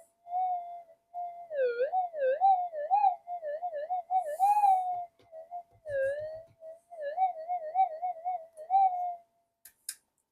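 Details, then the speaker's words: Metal detector in deep, normal, fixed cancel mode with clean-looking plug, left to settle: warbling mid-range tone wobbles up and down with no target; noise caused by oxides on coil connector contacts. "Let it settle. [Music] And there you go. That's just oxides."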